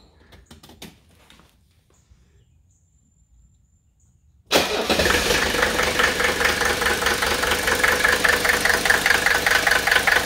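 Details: Mercedes OM617 300TD with HX30 turbo and Benzforce 7.5 pump, drip-timed to 26° BTDC after 24° gave grey smoke and an idle miss: a short crank, then an even, steady diesel idle clatter with no misses; it runs cleanly.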